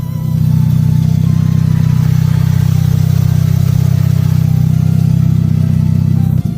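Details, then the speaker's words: Carbureted car revived with oil in cylinders and full fluid flush: steady, even idle hum with a smooth regular beat and no misses or knocks; silky smooth, rock-steady idle. "It's absolutely silky smooth. The idle is rock steady."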